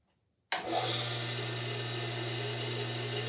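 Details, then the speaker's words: Curbside-found Sears compact table saw, discarded, first power-up with no cutting: motor snaps on and settles into a smooth, steady low hum with light airy hiss, no rubbing or rattle; sounds like a meat slicer, nice and quiet, runs healthy. "Sounds like a meat slicer. Nice and quiet."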